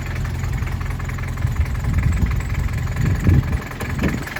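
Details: 1979 Toyota Hilux 2WD diesel pickup (RN30/LN30/LN40) at idle: old diesel clatters evenly with a deep, slow beat, running nicely but idling a little low; the idle needs adjusting, and the hand throttle seems disconnected.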